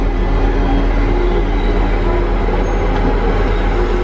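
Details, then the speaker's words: Tigercat LX830D track cutter running on wet ground after rain: heavy, steady low diesel rumble with even track clatter and no squeal; tracks had squeaked badly when ground was dry. "as soon as we get this rain kind of Westar ground you don't hear the track squeaking anymore"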